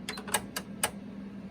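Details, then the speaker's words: Panasonic RX-DT501 boombox, deck 2 after belt replacement: sharp, uneven clicks, about six in under two seconds, over a faint hum; the solenoid keeps firing because the drive belt was installed incorrectly. "See, by the way, that's the sound of the uh of the uh solenoid."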